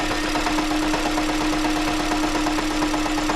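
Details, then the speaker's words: 2015 Honda Jade hybrid with leaking injectors (2nd and 3rd), an injector switched off: steady hum with a loose, uneven light rattle about twice a second from the transmission side at idle; worn transaxle damper disc. "выключаю по форсунке и вот начинается вот этот звук звук идёт с той стороны с коробки откуда-то Ну это демфер"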